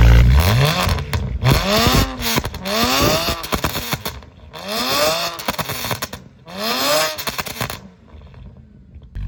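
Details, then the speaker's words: BMW E92 335i twin-turbo N54 with downpipe, oil-burning with blue smoke and oily exhaust: four quick rev blips, each breaking into a ragged spluttering cough; misfire under revs, cause unknown. "And on top of all that, the car literally coughs every time I rev it."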